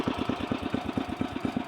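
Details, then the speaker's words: 1968 Sears Suburban 12 yard tractor fitted with a 16 hp snowblower engine, in first low gear, creeping very slowly: engine idled down as low as it goes, slow steady thump about eight beats a second, no misses; normal low idle. "yeah as you can see I really do have it set to idle low though"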